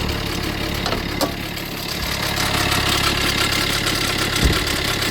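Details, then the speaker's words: Fiat 500L with engine and oil-pressure warning lights on, running with the bonnet open. A fast, uneven metallic rattle rides over the idle, about three a second; the mechanic suspects the timing chain, or possibly a snapped oil pump chain. "see the oil pressure coming out B because uh the thing is this is timing change yeah and obviously you can hear the noise coming CH and if the oil pressure coming on then might be the oil pump chain snap fix that is a lot of fixing to do huh"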